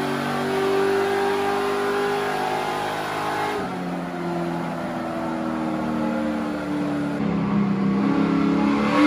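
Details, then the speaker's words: Chevy LS3 427 V8 in an Ultra4 off-road race car on the dyno, 8-to-1 headers: strong, clean, crisp rising and falling V8 note under load with no misses or knocks; normal, healthy revving. "Holy that sounds good. I should not be allowed to own this car. Holy crap. Oh man. It's the 8-to-1 headers and that engine, and it just sings."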